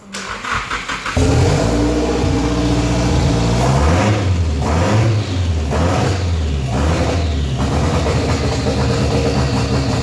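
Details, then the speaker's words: Freshly rebuilt engine, first start after 10 months sitting, not fully hooked up: short crank, fires immediately into steady smooth idle with clean throttle blips; normal start and idle. "yeah it's hard to describe the feeling of having the car start finally after 10 months of just sitting around"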